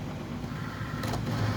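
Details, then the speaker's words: Cricut Explore Air 2 cutting machine: the load button is pressed, the motor whirs like a printer but the mat never feeds in, and the machine carries on cutting the mat instead of the material; mat fails to load. "and it doesn't load. As you can see, the mat is going to start to continue to cut the mat and not the actual material."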